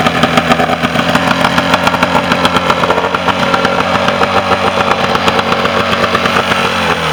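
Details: Mercury 40 hp two-stroke outboard after a no-start issue, final running; steady, even running at a fast idle with a regular beat and no stumbles or misses. Normal running.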